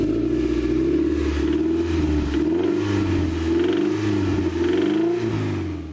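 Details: Toyota MR2 ZZW30 1ZZ engine with new stainless TIG-welded exhaust: revs up and down with dull rapping following rpm; rod bearing knock, later repaired.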